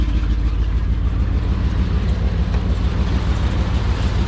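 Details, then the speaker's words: Ford truck running on 7 cylinders and smoking a little: uneven, lumpy idle with a regular stumble in the low thump, about three beats a second, missing on one cylinder and visibly running rough. "This one, you can hear it. It is running on 7 cylinders, so it smokes a little"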